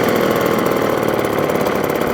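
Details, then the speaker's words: Restored 1954 Atco kick-start mower with a Villiers Midget two-stroke at a normal idle, described as smoky and aggressive: a rapid, raspy crackle, rough but even, from the small two-stroke running steadily. "but at co-standard Kickstart lawnmower two-stroker Smokey aggressive"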